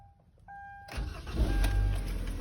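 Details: 2011 Kia Sorento that turned but would not start, just after a starter replacement: soft warning chime, then a quick crank catching in about a second and rising to steady idle; normal crank and start.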